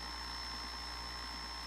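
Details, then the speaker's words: Feiyutech G6 Plus gimbal carrying a Canon M50 with 15-45mm kit lens, flipped-out screen upsetting balance: steady high-pitched electric buzz as the motors shake rapidly when repositioned; gimbal motor oscillation from imbalance, cured by closing the screen and shifting the camera right. "But it's going to shake like that. No can do. Hear that loud noise. And no, I'm not recording the footage, maybe I should, but see how fast it's vibrating?"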